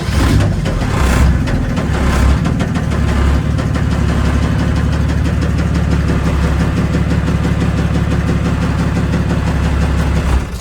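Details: Built 1998 OM606 turbodiesel in a 1984 Mercedes 190D drag car after its last full pull: heavy diesel clatter with a deep, regular dull knock throughout. Bottom-end damage, possibly spun bearings, is suspected, with oil pressure being checked.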